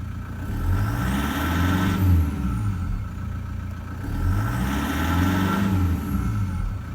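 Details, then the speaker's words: Toyota 1KD-FTV diesel in 120-series Prado, injectors about 10,000 km old, suction control valve done, cold engine: two clean rev-ups with an even beat and light injector clatter, judged normal; engine and injectors healthy. "this even once it's warm it makes some noises when you're driving it so you know the injectors are 10 000 k's old there's nothing wrong with the engine or the injectors some of them do make noise okay"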